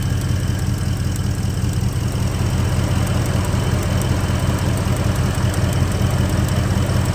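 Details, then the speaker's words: Gen 1 Ford Raptor V8, 11 years old, 125,000 miles, idling in shop: light, fast ticking over a steady idle; mechanic diagnoses a bad coil pack arcing through the boot to the head, not cam phasers. "How the hell can you hear that and say you've got a bad cold back? I had a board in here 4 months ago that made the same noise."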